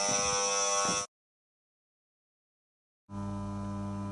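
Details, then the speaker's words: Williams Full House electromechanical pinball, 'Dealer' coil energized after replacing the old burnt coil with a Z28-1200 (original Z28-1150): loud harsh electrical buzz, louder than before, cutting out then returning; spring removal didn't help. "Well, I don't have to ask if you can hear the buzzing now. New coil's in and it's a lot louder, so I'll have to sort"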